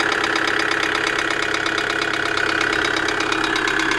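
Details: 2008 Kia Sedona 2.9 CRDi diesel (J3) idling with sharp metallic tapping knock during camshaft sensor disconnect/voltage testing; code P0016, knock cause unknown.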